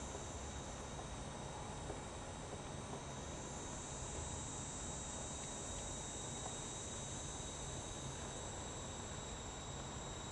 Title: Sega Saturn Power Supply Hissing Noise 2